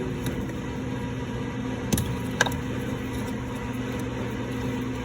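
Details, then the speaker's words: ADV ES4000 floor scrubber rear vacuum motor with low batteries below 24 V: two sharp contactor clicks, then only faint hum and no motor spin-up; vacuum motor failed, causing poor water pickup; replacing both advised. "and I can hear the contactor going to turn it on but it's not turning on so we got a failed one"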